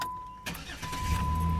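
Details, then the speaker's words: 2008 Dodge Nitro after water pump replacement, battery had been disconnected and alarm blocked starting, fixed by reconnecting the negative cable with ignition on: a steady high beep stops, engine catches quickly into an even low idle; normal start. "Ahí está ya sonando todo eso quiere decir que ya va a aprender"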